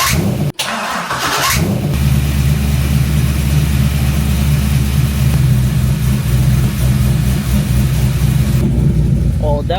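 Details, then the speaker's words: Car with a battery-draining problem, cranked after priming the fuel pump: short harsh whirring grind from the starter, then the engine catches and settles into a steady low idle. "Let's see if you guys can hear the noise of the starter."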